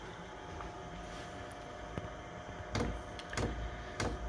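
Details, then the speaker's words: Chinese 5 kW diesel heater running on kerosene via 240V-to-12V transformer, two winters' use, at startup: sharp fuel pump clicks about every half second over low fan hum as kerosene feeds the burner chamber; normal. "if you can hear that ticking now that's the pump kick CH so that'll be pumping kerosene now into the bur chamber and then you'll he the fans starting increase um as it starts um sort of warming up"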